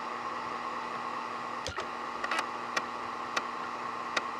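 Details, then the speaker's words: IBM ThinkPad 760LD floppy drive, swapped in for the CD-ROM, copying files from drive A to C in Norton Commander: faint steady whir with scattered sharp head-step clicks; floppy drive seeking and working normally. "now we'll copy those over to drive c you get to listen to the floppy drive for a bit"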